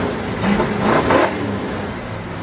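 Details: 1969 Mach 1 Mustang, apparently a 302 V8 with decent cam, sat almost 10 years, first start after suspected ignition-switch wiring trouble: catches, blips up a couple of times, then settles into a steady rumble with no knock yet; a bottom-end knock appeared later.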